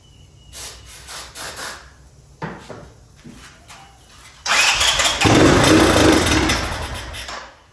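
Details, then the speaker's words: 1984 Honda ATC 200ES Big Red single-cylinder, electric start restored by grounding the neutral safety switch wire: starter cranks a few seconds in short bursts, then fires into a loud even run; engine starting. "So that does fire with the electric start now."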